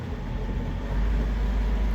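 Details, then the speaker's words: 55 hp sailboat engine with a newly replaced starter, given a little throttle in reverse against the mooring: a deep, even rumble swells smoothly with no knocks, misses or stumbles. Normal revving under load. "We're in reverse. No lines in the water. We're straightening up now. Let's give it a little gas."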